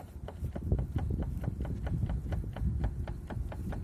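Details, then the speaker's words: Renault Megane 2 with both front wheels lifted, wheel jerked sharply back and forth: sharp, regular clacks about four a second, none when turned slowly; owner suspects differential side (spider) gears, unconfirmed. "вот стук листу за правое колесо что за левое колесо есть предположение что это дифференциал сателлиты кто что думает"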